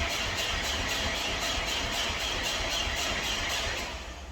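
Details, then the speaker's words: Subaru Impreza WRX with severe rust, bought used, first start attempt: steady quick cranking about four pulses a second, engine never catches; crank no-start, owner suspects slow cranking and puts battery on charger. "of course we got a no fire I'm going to hook up the battery charger to see if it's uh just cranking really slow and that's why it's not firing"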